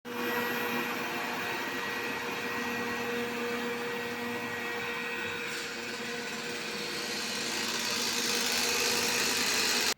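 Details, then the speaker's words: Robot vacuum running: a steady whir under a rough, crackling rattle. With debris already cleared, the suspected cause is a non-original replacement side brush with slightly smaller dimensions sitting loose in its socket. "Если после того, как вы очистили от посторонних предметов щётку, а звук всё равно остался, то, скорее всего, вы эту щётку заменили на неоригинальную, и её расстояние здесь и здесь несколько меньше."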